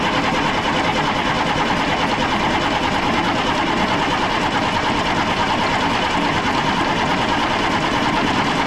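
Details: 1995 International 4700 dump truck, DT466 diesel: steady starter churn with an even cranking beat and no firing. The engine was starved of fuel after a tank leak repair, priming attempts failed, and the battery is weakening.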